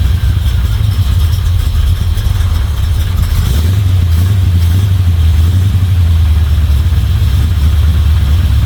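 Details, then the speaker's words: Chevy 350 small-block V8 in a Toyota Land Cruiser HJ75 Troopy, after refitting rocker cover, chasing a valvetrain tick: deep even idle burble, steady beat, no misses or ticks. "test the next thing that could be wrong but at the moment that sounds pretty good"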